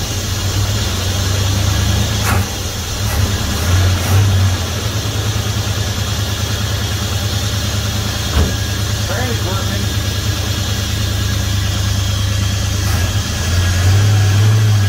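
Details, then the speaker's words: 1971 Dodge Coronet police car, 4-barrel 383 big-block V8, after sitting since the early 1990s, new plugs, wires and oil, wheels chocked: smooth, even burble, steady idle, no knocks; 60+ psi oil pressure, owner calls it a healthy motor. Normal idle. "and it's still running 60 plus PSI of oil pressure which is awesome that's an indicator of a good healthy motor good Cam Bearing"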